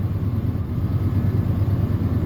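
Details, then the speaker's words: 1996 Ford F250 V8 at idle, 326,000 miles, roughly stumbling with a severe misfire that worsens under load; code P1351 traced to an incorrect ignition control module. "it's misfiring at idle yep there it went so it it tries to run and you hear it it just it straight up misses just whole shebang misses"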